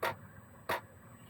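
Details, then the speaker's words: Gearlasso 8kW Chinese diesel air heater starting in manual mode, gear one (lowest): crisp dosing-pump ticks about two-thirds of a second apart over faint fan hiss while the glow plug warms the burner. Normal fuel pump ticking. "Just waiting for the burner to warm itself up or the glow plug to warm itself up and then the pump kicks in and off goes the burner again or on comes the burner again I should say."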